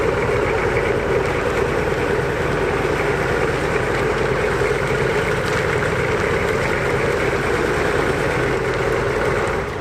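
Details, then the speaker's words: 1981 Buick Century 350 diesel, revived after sitting abandoned, driving under light load in second gear: steady even diesel clatter, runs really well though luggy, kickdown possibly not working; normal running. "Welcome aboard. Yeah, it rides like a dream. It runs really, really good."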